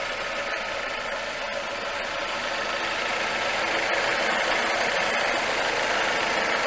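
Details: 2005 Suzuki Reno (Lacetti), D-Tech 16-valve engine with new idle air control, alternator, fuel pump and water pump, AC turned off: even steady idle of constant pitch, no misses, surges or dips; engine running normally.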